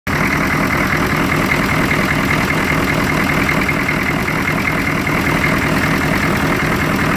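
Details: 1993 Chevrolet K2500 with 6.2 diesel: heavy clatter at idle with an uneven, shaky beat and vibration, rough idle, cause not pinned down.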